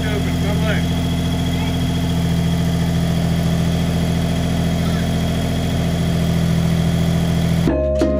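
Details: 1974 Datsun 260Z with twin carbs, just started and warming up: deep, uneven, lumpy idle with a wavering beat and no steady rhythm; it runs poorly and needs tuning, and the cause is not confirmed.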